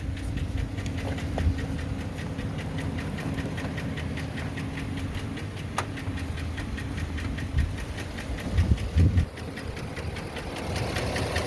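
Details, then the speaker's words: Chevy Suburban work truck idling before PI fuel cleaner, engine flush and power foam cleaning: uneven idle with irregular thumps and a loping beat that wavers, rough idle, cause unclear. "we want you to hear this this rough idle listen to how rough it is"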